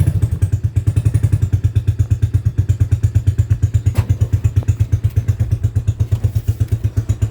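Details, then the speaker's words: TrailMaster 300 XRS go-kart single-cylinder engine, cleaned carburetor, choke connected, before carb adjustment: slow lumpy thumping near 170 a minute, barely staying running without gas, fuel dripping from tank; idle set too low. "But it seems to be staying on with the choke connected. See the chokees connected, so staying on."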